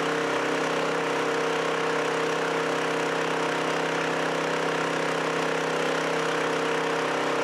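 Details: Chinese walk-behind track dumper after repairs and fresh grease, started on one pull, driving outside: small single-cylinder engine holds a steady, even buzzing hum with no misses or knocks; now steers, dumps and runs well.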